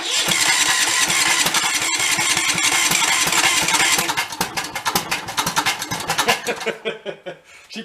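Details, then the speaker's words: About 20-year-old Cub Cadet riding mower at full throttle: catches and roars briefly, then stumbles in uneven sputtering bursts as it dies; choke stuck on via separate lever, carb to be checked. "oh that joke is stuck out let's go look into that carb real quick"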